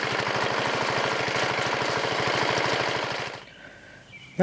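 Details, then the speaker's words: Riding lawn mower OHV single-cylinder engine fitted with a tractor-style muffler: hard, even beat of about a dozen pulses a second with a heavy knock; owner suspects counterweights or connecting rod, engine to be torn down. "as you heard in the videos I'm having engine issues on this I got a it's either the counter weights are making a noise or the rods making a noise for some reason in it"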